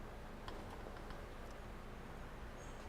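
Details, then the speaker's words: Water hammer demonstration rig, about 200 ft copper coil, valve closed with surge suppressor fitted: quiet, steady flow rumble with a few faint ticks, no bang or shudder; the suppressor absorbs the pressure spike. "as you see nothing happened we protected the system we protected the operator the people we preserved product"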